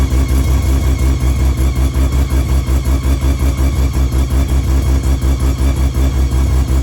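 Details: Car with timing verified: a deep, even pulse of about two to three beats a second, steady and free of knocks or misses. Revs up nicely, healthy.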